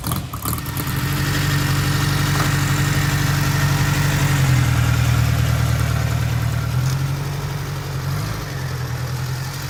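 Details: 1955 Ariel Square Four (SQ4) motorcycle: steady low four-cylinder burble at idle with a slight dip in the middle, running evenly; normal idle, though a slight stumble/misfire is noted when ridden, work in progress.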